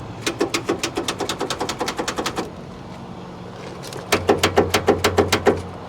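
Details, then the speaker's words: Salvage F250 with over 216,000 miles at auction: two bursts of rapid, even clicks about three a second with no cranking; cables not hot so motor not locked, starter solenoid failing or loose wire. "So what we have here is a solenoid that is failing or loose wir"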